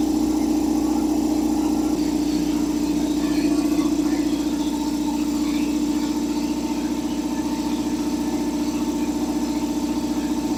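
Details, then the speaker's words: Revived long-idle belt-driven air compressor on first run: steady mid-pitched drone with even pulse about three times a second as the tank fills; quieter than a Harbor Freight unit, belt possibly loose; normal running. "It's actually a lot quieter than the other one we have, that one from Harbor Freight. And it's building pressure."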